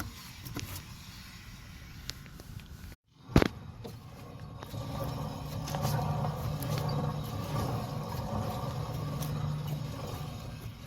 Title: Wheel bearing damage noise while running broken bearing